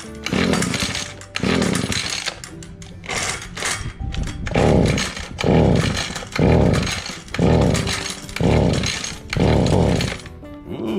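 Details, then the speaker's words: Echo HC150 hedge trimmer two-stroke with new cheap replacement carburetor: screams at full revs in surges about once a second, never dropping back; throttle not closing, stuck high idle, later found throttle cable routed over instead of underneath. "we got a little life going to it but unfortunately the throttle was not working well and we were doing a high and absolutely high idle so i got to take a look at that and see if i can get that adjusted down"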